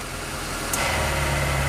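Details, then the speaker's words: Mitsubishi Maven, petrol, AC jumpered off the ECU and given a manual idle-up intake air solenoid via relay and fuse: idle holds 800 rpm as the AC compressor clicks in, no sag or hunting; normal idle with AC on. "Kita hidupkan AC nya. Tuh masih 800, jadi ditahan 800 ya. Nah seperti itu, jadi nggak terlalu ngedrop banget."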